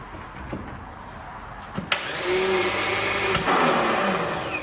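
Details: VW Mk1 Cabriolet with VR6 swap: a couple of sharp clicks, then steady whirring spin with no engine turnover; starter motor engaging poorly.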